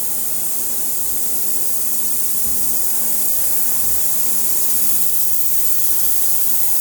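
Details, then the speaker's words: Ultrasonic cleaner, bracelet inside about 3 to 5 minutes, vibration penetrating cracks and crevices: steady high-pitched hiss with faint low hum, even throughout; running normally. "The longer it sits in there, a little bit more of the vibrating and it'll penetrate those cracks and crevices that we needed to to be able to do a better product for our customers."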